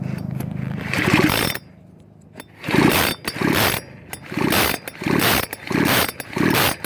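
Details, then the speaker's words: Echo CS-4400 chainsaw: repeated blips from idle to high revs and back, each rising cleanly without bogging; the saw picks up and drops evenly and is running properly. "this machine was working and it's 100%"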